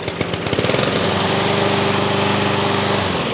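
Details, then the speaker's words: Troy-Bilt TB130 mower with a Honda GCV160 engine converted from auto choke to manual choke, running with the lever wide open; catches at once, even steady single-cylinder putter, no misses or surging, normal running. "and she's a runner now for that we could leave it like that"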